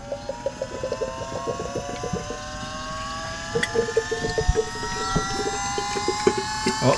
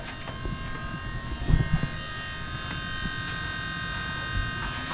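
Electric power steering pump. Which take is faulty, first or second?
first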